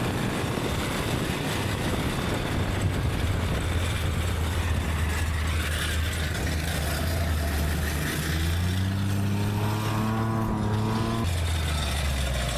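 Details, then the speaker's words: Go-kart small engine revived after sitting about 3 years, carb cleaner sprayed in, somewhat dirty air filter: steady low drone climbing cleanly in pitch with no misses or knocks; runs and idles well, still needs tuning; normal running. "The motor definitely cleared itself out. It runs awesome now. It idles. It runs good."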